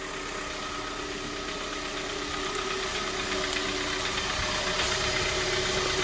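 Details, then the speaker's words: High-mileage 2012 Kia Sorento 2.4 L engine on a hoist, started after an oil change: a steady, even idle with a light regular tick under a smooth hum and no knocks or misses. Normal idle. "I guess that cold startup didn't sound too bad with all that oil in there."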